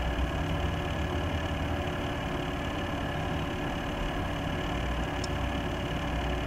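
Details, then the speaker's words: Corsair H100 AIO water-cooling pump in an idle PC with eight Corsair fans and a new Corsair power supply: a steady hum with a constant whine, louder than all fans combined even at the pump's lowest setting; loud pump noise, fixed by a replacement unit. "noise you hear is entirely coming from the pump there are eight fans running and what you hear is the pump"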